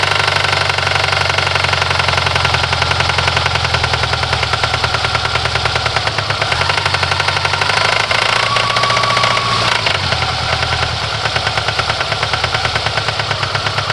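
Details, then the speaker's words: Fiat Coupe 16V turbo petrol engine: rapid, sharp metallic knocking that clatters steadily throughout, as if something is too loose; owner unsure of the cause. "as you heard it sounds awful it's sounds like something is too loose you hear the metallic knocking yeah I I mean this is not a healthy engine"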